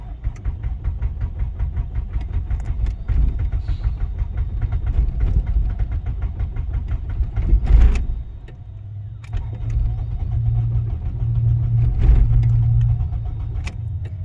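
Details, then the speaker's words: Honda Civic with no-start condition, outside in chilly weather on a jump pack: steady rapid cranking about four beats a second, engine spins evenly but never catches; failed to crank on first try, loose connection or bad starter suspected. "so it cranks it didn't want to crank the first time it could be a loose connection could be a bad starter but then it does crank and it doesn't want to catch"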